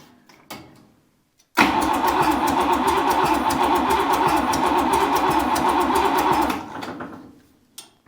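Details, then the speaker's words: Buick 401 Nailhead rail dragster, cranking with fuel reaching the filter: five seconds even cranking near four beats a second, no catch; timing light check confirms ignition issues. "I'm gonna I'm gonna guess that it doesn't have any Spark because that didn't sound too promising"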